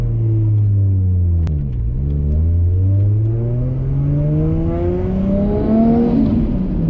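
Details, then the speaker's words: Built 550 hp Nissan Skyline R33 RB25DET on a test drive after a lifter repair: smooth engine note under load with turbo flutter and no lifter ticking. Engine runs healthy after the fix. "so we're gonna go for a cheeky test drive this is that nice turbo flood and enjoy the cruise"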